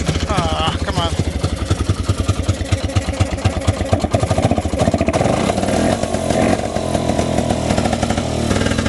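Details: 1971 Johnson Skee Horse 30 hp snowmobile, restored after years sitting: after priming, fast crackly two-stroke firing picks up and holds an even beat, smoke from exhaust; the old sled engine runs properly again.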